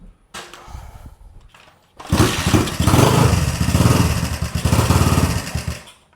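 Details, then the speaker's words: 1980 Honda CB125S single, being restored, just after retiming the points, after a couple of failed kicks: catches and runs lumpy and uneven, beats stumbling at idle; rough running, owner unsure if it is missing. "Well, they don't sound too great. Let's see, I don't know. It's not wanting to run, so I'm not sure if it's missing or what's happening here."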